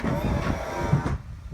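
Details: C4 Corvette flip-up headlight motor after repair, with the limiter-switch spring refitted correctly: even low motor whir for about a second, then a clean stop with no clicks or humming afterward; headlight motor working properly.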